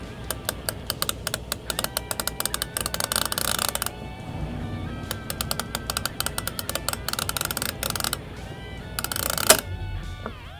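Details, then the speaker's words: Whirlpool side-by-side refrigerator, fridge section not cooling with freezer working, defrost timer dial turned clockwise with screwdriver: string of small clicks, then one big click and fan shutting off; timer advancing normally into defrost. "You're going to hear the little clicks. And eventually, you're going to hear one big click. And you'll hear the fan shut off."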